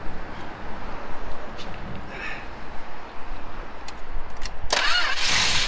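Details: 1967 Plymouth Valiant that sat for years, PB Blaster in the cylinders and fuel poured into the float bowl: the starter churns, then the engine catches and settles into a rough but steady low idle; it runs again.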